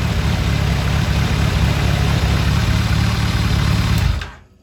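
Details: 2001 Kawasaki ZRX1200R with CVK carbs, warmed up after tuning with pilot screws at 2 5/8 turns (factory 2 1/4, jetted lean), idle turned down; deep, steady low burble holding even with no hunting or stumble, then cutting off cleanly. Normal idle.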